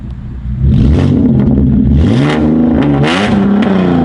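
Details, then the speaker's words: De-catted Holden Commodore SV6 V6 with rear mufflers removed, straight-piped; loud raspy exhaust swinging up and down in revs, crackling and popping on downshifts as it comes off throttle. "so it's loud it also crackles and pops on down shifting up here"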